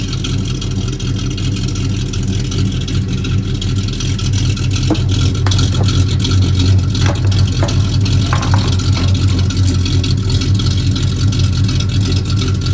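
Deep idle with some revs and a few sharp ticks and puffs riding over the rumble, pointing to a leak in the exhaust.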